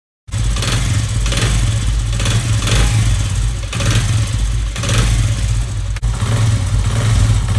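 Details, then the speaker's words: Motorcycle (Honda CD70-type), revved with the clutch held: pulsing small-engine revs with a loose rattle riding over the beat, worse on throttle, mistaken for con-rod or clutch box damage; cause is completely loose clutch hub damper springs between drum and clutch box. "इनके झटका मुझे बर्दाश्त करती है वो ये spring होते हैं स्प्रिंग यहां पर बिल्कुल लूज हो चुके हैं"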